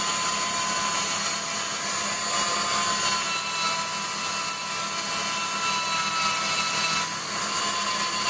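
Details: Waldown/Dumore tool post grinder internally grinding a bronze bush on a lathe, judged by sound because Sharpie can't reach: steady high grinding hiss that swells and fades slightly. The stone touches the bore only in places, so it is not yet true.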